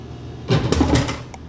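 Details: Dixie Narco DN1 180/105-5 soda vending machine (about 1975), fed dimes for a root beer: a short mechanical whir, then clunks as the can drops and lands, then a click; normal vend cycle.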